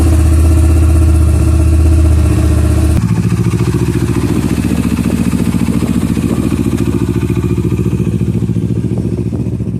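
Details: 2009 Kawasaki Versys that would not start on an old, weak battery: the engine catches and settles into a quick, steady beat of about three and a half pulses a second, even and clean. A healthy start; the battery was the cause.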